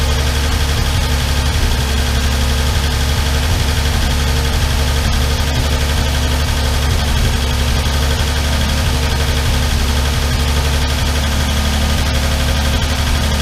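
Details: Armstrong Siddeley Star Sapphire special, hemispherical head, cold on choke just after first start in probably over 40 years: steady, even low idle with faint light ticking on top. All tappets a bit loose and need resetting.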